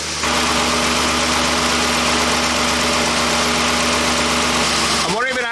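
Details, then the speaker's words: Jeep engine that ran out of oil three days after a shop visit, oil now full, idling: a loud, coarse, uneven drone with heavy mechanical clatter, rough running; owner suspects the piston rings are gone. "it's definitely running it doesn't run it doesn't sound good so I think all the piston rings are gone"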